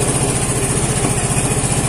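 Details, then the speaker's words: Vespa Matic scooter that suddenly would not start, after repair, battery reading 12.6–12.7 V and 14.6 V while running: steady, even single-cylinder idle with evenly spaced firing pulses, no misses or knocks; normal idle. "Coba kita Nyalakan Soekarno ya alhamdulillah ahirnya nyala motornya"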